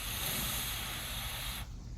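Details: Smith Little Torch on oxygen/propane, lit with propane first and then oxygen, valves opened only about 1/8 turn: a steady, even hiss that softens after a moment. A clean, normal jewelry soldering flame.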